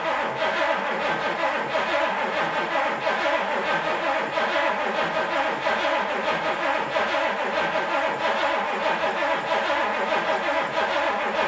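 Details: 1964 Pontiac 389, first start after rebuild: even, steady starter cranking with regular compression pulses, no firing or knocks; cranks freely and builds oil pressure; normal cranking.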